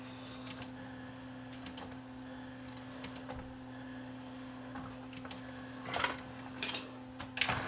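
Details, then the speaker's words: Sony DVP-C660 5-disc DVD/CD changer after a new belt fixed the jammed disc tray: even motor whir in short runs with soft mechanical clicks as the tray cycles; strong torque without slipping, normal tray operation. "Lots of torque now, no slipping."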